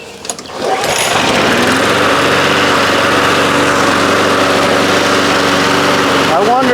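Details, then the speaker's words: 1993 Toro Recycler II mower, Briggs engine, after fixing no-spark (bad ignition coils, damaged flywheel): catches after a moment and settles into a steady even drone with no misses; running normally. "I can't believe it's running."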